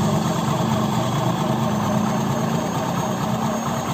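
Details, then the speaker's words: Honda Beat scooter CVT after replacing the faulty part with a new one: a smooth, even idle with a steady low drone and no rattle or scraping; quiet, healthy CVT compared with the rough noise before. "teman-teman bisa nilai sendiri tadi suaranya seperti apa ya adem banget kan"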